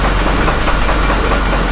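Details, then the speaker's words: Copart Hummer H3 with a stalling issue and possible rod bearing problem: loud, lumpy idle bouncing around 400–600 rpm with no check engine light. It shakes, knocks underneath and dies when given gas; owner suspects fuel supply and is fitting cam/crank sensors. "it's almost like it's a fuel supply problem what it sounds like I don't know if you can see this guys with the car is like shaking feels like it's about to die"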